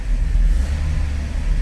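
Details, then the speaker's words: Old carbureted Ford F350 started after a new fuel line and 4.5 gallons of gas: a deep, loud, steady rumble held at a high idle that doesn't settle. The faulty carburetor causes the high idle and needs a rebuild. "Wow, that was a high idle. It should keep running no problem."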